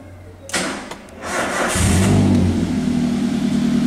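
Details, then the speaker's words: Toyota Avanza/Daihatsu Xenia with a complaint of unstable idle speed, started after repair: a short crank, then it catches cleanly and settles to a smooth, even idle with no misses, and the check engine light is now off. Normal again. "Nah setelah ini mesin sudah kita hidupkan, kita lihat engine check lampnya ternyata sudah mati."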